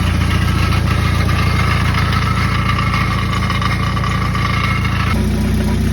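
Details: 1995 Jeep Wrangler YJ 2.5L four-cylinder at idle: steady, fairly regular buzzing rattle about 3.5 per second resonating through the exhaust, seeming to come from under the motor; caused by a blown-out catalytic converter and muffler baffle, fixed with a new exhaust kit.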